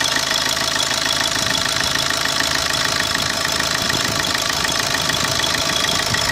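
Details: 2010 Opel Corsa D 1.3 CDTI diesel at idle: hard even clatter three to four ticks a second, knock of unclear source; owner notes no power loss, only blue smoke on cold morning starts.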